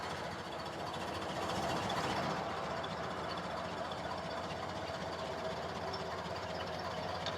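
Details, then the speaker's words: Restored 1929 Ford Model A with original drivetrain, in neutral, timing advanced slightly and throttle lowered, warming up: a soft, quiet four-cylinder idle with a slow, gentle patter like a sewing machine, no knock or miss. "We've Advanced it a little bit we've got our throttle down a little bit where it's idling happy we'll sit here we'll let it warm up a little bit"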